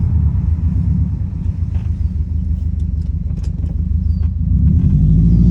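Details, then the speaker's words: 2008 Subaru Impreza STI hatchback, modified, after repair of an engine that had spun a rod bearing: deep, steady low burble idle with even pulse, no knocking or ticking; runs smooth and healthy. "so this sounds very very healthy man so very excited on how this all turned out"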